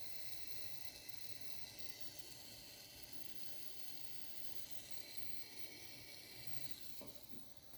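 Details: Wanptek APS1203H power supply: very quiet hissy crackle like water boiling with a thin high whistle from inside the unit; cause unclear.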